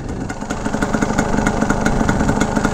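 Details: 1982 Yamaha YZ250 two-stroke, warm after a ride, motor staying cool: quick even popping at a low steady idle with no misses or surging; healthy idle, though the clutch slips a little.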